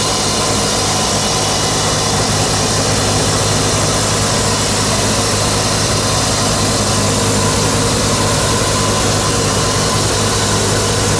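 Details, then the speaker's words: Repaired flail mower on a tractor, revved up to cut long grass: steady, even roar with a firm low drone holding constant speed under load, no knocks or misses; running healthy. "We're gonna rev it up and see how it cuts through the long grass."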